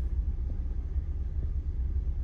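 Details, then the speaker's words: 2003 Chevy Trailblazer, cold engine at idle: low uneven idle with occasional stumble, scanner shows cylinder 3 misfire, worse when cold; caused by a broken coolant temperature sensor that also upset the oxygen sensor readings. "vamos a ver los Miss miren falla Como por ejemplo dice que falla el cilindro número 3 Ahí está en frío falla más un poco entonces una falla que lo hace más como en frío"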